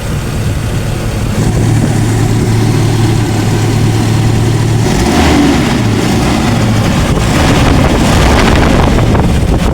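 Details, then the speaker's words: Toyota Kijang after converting ignition from contact-breaker points to CDI distributor, engine running under load: strong, steady note building smoothly with no popping or backfiring; ignition firing cleanly, engine feels lighter and more powerful. "Oke, untuk tenaga sangat jos dan tidak ada suara nembak-nembak bahkan suara cascaran ya."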